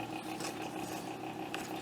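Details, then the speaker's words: Amiga 1000 fan, dirty, giving a thin steady hum with a faint rattling buzz at constant speed. Owner suspects worn ball bearings; not confirmed. "it's interesting you can hear that noise from the fan"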